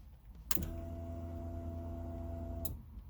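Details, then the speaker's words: 1995 Honda Civic fuel pump under the rear seat, after cleaning a corroded fuel pump relay: a steady low electric hum with faint whine starts sharply, runs about two seconds, then cuts off. Pump is priming normally. "fuel pressure which is good that means the fuel pump is working just in case you couldn't hear it"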